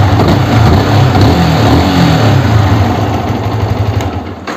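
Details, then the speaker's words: Yamaha R15 after replacing worn clutch housing rubber dampers: engine revs and settles back smoothly with no clunk or knock rising from idle; the earlier thump is gone, pickup good. "இப்போ பார்த்தீங்கன்னா நமக்கு அந்த இடிக்கிற sound வரல. ஐட்லிங்கில் rice பண்ணும்போது டம்னு இடிச்சுது, அந்த மாதிரி இப்போ வரல. வண்டி பிக்கப்லாம் நல்லா செம்மையாக இருக்கும்."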